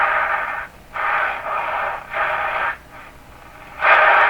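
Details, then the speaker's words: Stromberg Carlson Model 515 radio warming up on AM: loud hissing static in uneven bursts of about a second with no station audible; suspected local electrical interference in the shop, unconfirmed. "Now that sound you hear is probably just interference here in my shop."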